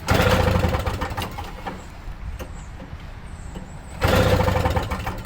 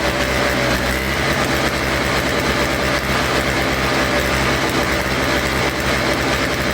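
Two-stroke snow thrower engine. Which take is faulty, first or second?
first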